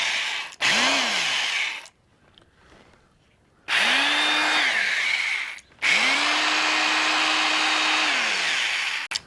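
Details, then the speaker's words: Double-insulated drill, the owner's first, received new around 1978-79: three trigger pulls, each winding the motor up to a strong steady whine and back down. It is a healthy, powerful drill. "Sounds like a beast. This was my first drill."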